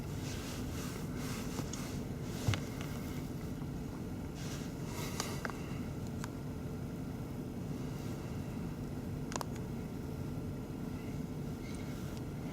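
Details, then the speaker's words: 2005 VW Golf 2.0 FSI, no-start after battery booster connected in reverse, engine off with ignition on: steady low whirring hum with light clicks as radiator fan kicks on by itself; ABS communicates, engine ECU does not; cause suspected, not confirmed. "fan kicked on again brakes okay we do have communication that means the canvas should be okay to the engine issue"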